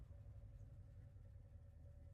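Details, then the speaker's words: V8 truck engine at cold idle after sitting three weeks, low even rumble, quiet and healthy with only a slight lifter tick. "I know it probably doesn't sound good on camera to you guys, but this is actually a really quiet engine. It's got a little bit of a lifter tick, but not much."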